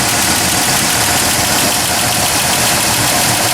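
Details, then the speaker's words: 1997 Ford F-150 4.2L on a cold start at about 35°F, Marvel Mystery Oil just added: fast, light top-end ticking at idle, likely a lifter, mostly from one side. It is expected to fade once warm. "after a while this is going to going to not going to tick going to get warmed up and it's not going to tick so we'll see what happens sounds like most of this coming from this side through the Casher"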